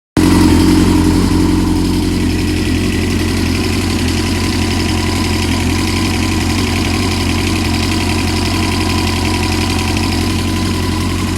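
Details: Small motorcycle engine idling with a light, fairly regular ticking, about three to four a second, louder when revved; cause unknown.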